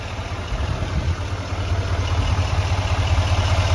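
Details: 2020 GMC 2500HD AT4 6.6L Duramax diesel at idle, heard under the hood: a steady, even low rumble with no knocking or ticking. The engine sounds normal and healthy.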